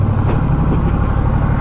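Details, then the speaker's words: Honda Rebel motorcycle in about 100–105°F heat: a steady, even low rumble that never settles, idle hanging high (earlier around 1800 RPM, still pulling off throttle). "See, hear the engine hanging? It's hanging high. It's not overrunning like it was, but we're in 100-degree temperatures, and this thing is hanging a bit high."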